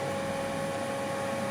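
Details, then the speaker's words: Cessna 172 (LN-TFK) on preflight inspection, master battery and avionics switched on: a steady, even mid-pitched hum with a faint whir and no rubbing or ticking; the avionics cooling fan is running normally. "Which I can. The fan is going. Yep."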